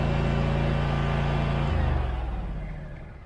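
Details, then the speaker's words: Scag mower with Kawasaki FX691V V-twin after carburetor replacement (previously popping, backfiring), restarted with a little choke, not fully warmed up: even deep beat, no pops or backfires, then winds down at shutoff; running normally. "Yeah, now firing right back up. Let's try it with choke, because I didn't really run it that long. Yeah, just needed a little choking. Sounds good."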